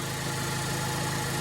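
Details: 2018 Ford EcoSport after broken flex pipe replacement: smooth even idle hum with steady low drone, no exhaust puffing or ticking; runs healthy.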